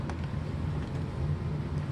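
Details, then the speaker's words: 1996 Kirby G4 vacuum, transmission in neutral, after refurbishment with new front and rear motor bearings: even, low motor hum, totally quiet, no more snoring or clacking; normal running. "totally utterly quiet no matter what I do no more snoring or clacking or whatever you want to call it that's fantastic"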